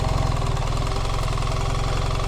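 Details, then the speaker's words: 2024 BMW R 1300 GS, restarted in gear after stopping while testing a no-start fault following BMW software update 125_011_030: firm, even low thrum with a regular pulse and no stumbling or knock; starts and runs normally at idle. "yep okay number one it worked all right good"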